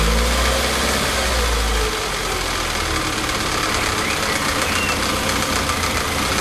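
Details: Lotus Elan, warm, after adjusting timing chain tension to stop rattling: steady, even idle with no chain rattle; sounds healthy.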